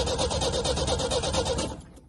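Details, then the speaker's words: 1983 Ford Ranger 4x4 not started in about two years or more, before any fuel added to carburetor: rhythmic whirring cranking for about a second and a half then winds down without catching; starter turns engine over fine. "how about that she turns over"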